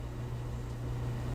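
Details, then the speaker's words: LG DLGX7188WM gas steam dryer after replacing the rollers, belt and idler, which previously sounded like marbles or shoes tumbling: the drum now runs with a smooth, even low hum and no knocks or rattles; repair successful. "nice and smooth doesn't sound like there's any marbles in there like it did before and uh sounds like this is a successful honeydew"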